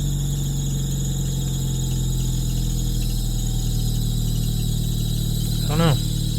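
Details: 2000 Honda Civic 1.6L that won't start when damp after sitting: after a hard start it holds a steady idle, then gives a short rising squeal near the end; a slipping belt is suspected but unconfirmed. Squeal after startup.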